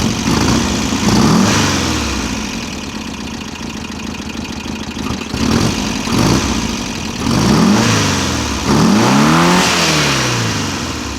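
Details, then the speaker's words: VW Type-3 Fastback air-cooled flat-four, first start after reinstalling the engine with its loose cylinder heads retightened: idling and blipping with a light clatter. The owner suspects he misadjusted the valve clearance; it needs readjusting. "Valves are a little noisy. I probably messed up when I adjusted them, but it's running. Valves are definitely noisy."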